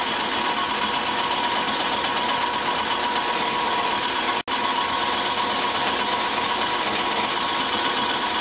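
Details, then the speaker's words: 1991 Ford Crown Victoria at first startup, with a known exhaust leak: steady fast ticking rasp over the idle, the cooling fan blade hitting its shroud. "That fan is hitting the shroud, is what that is."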